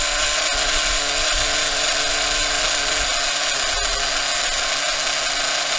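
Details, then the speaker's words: Maxy's Cinco 2.0 nitro RC engine on break-in stand with Bones break-in fuel, around 280 degrees; idle bumped up slightly, high buzzy even fast idle, no stumbling, normal. "all right i like to bump up the idle a little bit to help it let me do it from this side the way my arm ain't in the way so bump the idle up a little bit good to go"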